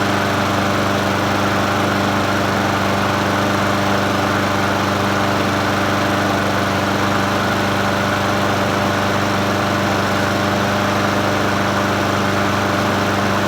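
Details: Troy-Bilt self-propelled mower with Honda GCV160 engine, free find, first start after adding fresh gas and opening fuel tap: steady, even single-cylinder drone with no knock, miss or surge; normal running.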